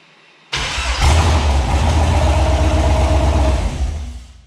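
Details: 2008 Silverado prerunner with Holley Terminator X Max ECU, after firmware troubles: catches abruptly, runs lumpy about three seconds, then sags and stalls; cause unclear.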